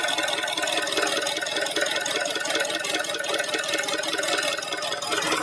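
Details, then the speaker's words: Honda 2.0-litre VTEC engine: quiet in park with injectors ticking, but 5-6 seconds after selecting drive, under load, a rattly diesel-like knock about once per second, seemingly from the intake manifold area; cause unknown (valves, piston slap or rod suspected). "Вот слышно звук форсунок, но ещё есть какой-то такой торахтящий, какой-то дизельный звук. [музыка] Звук идёт откуда-то вот впускного коллектора."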